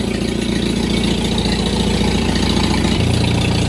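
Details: Old Farmall tractor being pulled into its shed, with inline and sediment-bowl fuel filters. Deep, even, low-pitched idle with a steady firing beat and no knocks or misses; a healthy engine.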